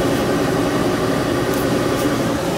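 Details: Gas boiler hooked to a power venter: steady loud hum with a low buzzy drone that holds even, then cuts off sharply; the power vent motor, possibly needing oil and trying to start, or a transformer is suspected.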